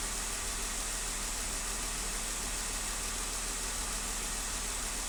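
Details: 2015 Jeep Wrangler at idle with a cylinder 1 misfire: uneven stumbling beat under a hissy background, one cylinder dropping out steadily.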